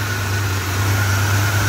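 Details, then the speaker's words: 1966 Chrysler New Yorker, freshly rebuilt 440 big-block V8, hot after first start: a steady high squeal rides over the loud engine roar. Owner suspects a belt slipping from water, possibly a dry bearing; not confirmed. "a belt was really slipping down there probably because of all the water I'm not worried about it"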